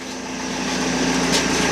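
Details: BMW E46 320d Touring diesel idling after start: steady, even clatter with a faint constant hum, no knocks or hunting; the earlier high-pitched pre-supply pump whine is gone and the in-tank pump is silent. Normal diesel idle.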